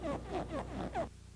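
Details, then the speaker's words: GM hydraulic power steering system: short rubbery squeaks and creaks that follow each movement of the steering wheel. Possible causes are the pinion seal, dash boot or steering column plastic trim touching the column shafts, elastic joint or steering box pinion; fixed by eliminating the interference. "O ruído de fricção plástica ou de borracha ocorre no movimento do volante."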